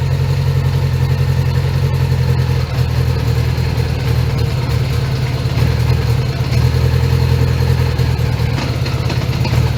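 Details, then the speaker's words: 1980 Honda GL1100 Goldwing flat-four, carbs just cleaned and overhauled, started cold (about 3°C) with idle raised for carb sync: deep idle with occasional skips, not running on all four cylinders; intermittent misfire expected to ease once warmed up. "Yeah, it doesn't run on all fours all the time. So, let's uh give it some time and let it properly heat up."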